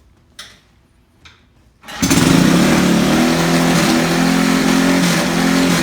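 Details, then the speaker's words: Single-cylinder race car first started in about 15 years (race stickers from 2005), in a garage: a couple of cranking pulls, then it catches and holds a steady, strong beat at about four pulses a second. Runs healthy. "That was really cool to hear that thing start right up. It hadn't been running since then, and that's really cool right there."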